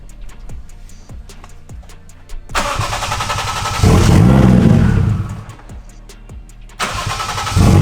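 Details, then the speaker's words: Lexus IS300 with 1JZ swap, aftermarket ECU Master, drive-by-wire throttle issues, check engine light for IAT and drive-by-wire: clicky cranking, catches, runs lumpy with surging revs, no clean idle; owner suspects ECU unhappy with drive-by-wire setting. "Probably not happy because it's like technically drive-by-wire and it doesn't like that."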